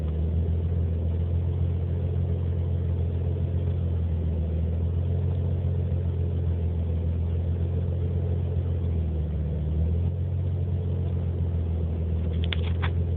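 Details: Nissan 300ZX rough idle: low rumble that wavers and stumbles unevenly; running very lean, code 55, IACV, timing and TPS reset to spec, one faulty injector replaced, vacuum lines checked; cause still not found, specialists blame the car's age.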